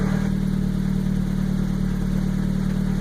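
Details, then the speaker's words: Turbo Miata 5-speed after 61 quarter-mile passes, idling with clutch out in neutral: steady, even low whirr, plus random squeaks and squeals with gear selection; owner suspects synchros or a pilot bearing, not confirmed. "but you can hear the weird squeaks and squeals there that definitely sounds like it's related to this synchros this is the whirring with the clutch out in neutral"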